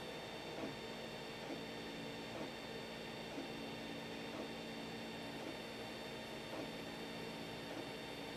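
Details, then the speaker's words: 3D printer before fitting stepper motor dampers: very quiet steady motor hum with faint ticks about once a second as axes move; normal stepper motor noise. "so as you can see as we bounce up in decibels we're only going at about 40 on the X&Y what I talk of course gets much louder"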